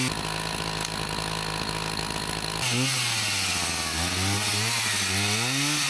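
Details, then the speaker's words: Husqvarna 162 two-stroke chainsaw, about 50 years old, repaired after not running, cutting firewood: crisp high scream that bogs slightly and recovers as it bites the wood, pulling strong; running perfectly; normal running under load. "Well, that's running perfectly now. Nothing wrong with that at all. It's got plenty of power."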